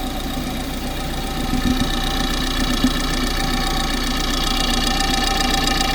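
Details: Engine at idle, pipe stethoscope on the fuel injectors, phone used as mic: fast, even light ticking about four per second over a steady hum; normal injector clicking.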